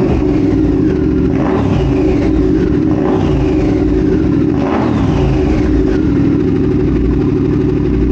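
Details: 2022 Triumph Speed Twin 1200 with British Customs X-pipe, newly fitted Cone Engineering shorty mufflers, custom tune: loud, deep, raw bark with sharp rev blips; minimally baffled mufflers, almost too loud.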